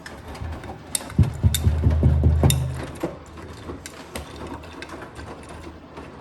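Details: Blomberg RapidJet washing machine with returning drum knocking: hard uneven thumps about two to three a second over drum noise, very loud especially on spin; cause unknown.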